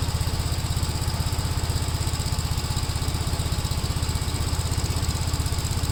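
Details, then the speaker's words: 1957 Gravely tractor during mowing test after air cleaner service; even, steady deep thump about four beats a second under load, no misses or knocks; engine pulling well. "yeah it runs pretty good it did pretty good during the test"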